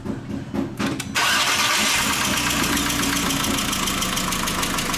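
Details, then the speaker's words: VW Jetta that arrived on a tow truck not starting, after an ignition coil swap, new spark plugs and a cleaned MAP sensor, warming up at fast idle. A light quick metallic ticking means noisy lifters. Owner reports power loss and stalling. "ruido es el que no me gusta ese ruido de buzos así déjalo así déjalo calentar"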